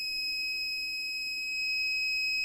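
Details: 1500 W inverter running a 5000 BTU window AC from four Panasonic 36V ES200G scooter battery packs: steady high-pitched electronic tone, an inverter warning alarm; exact cause unclear.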